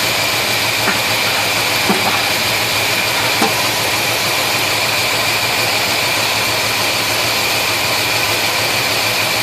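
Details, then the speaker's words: 1971 Chevelle 350 V8 at idle, loud and steady with a few faint ticks about once a second; number one cylinder dead, plug wet, zero compression because a valve is held open. "The spark plug was still wet, and all the others were not. All the others are firing nicely. Okay, so what's going on? Well, I had zero compression on the compression tester on number one cylinder."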